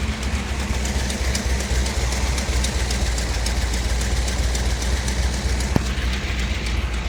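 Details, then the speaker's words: 1957 Chevy Bel Air with 454 big block from a motorhome replacing a blown 396, old 396 racing cam, new intake and distributor: deep steady rumble with even beat, no knocks or ticks; normal running after swap. "Um, now let's uh let's hear it run. See what you guys think."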